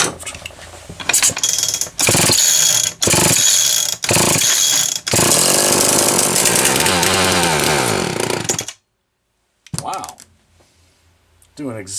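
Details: Homelite XL-123 chainsaw after swapping the ignition coil: harsh high two-stroke buzz that keeps cutting out for split seconds, then dies completely; intermittent misfire persists, cause unconfirmed.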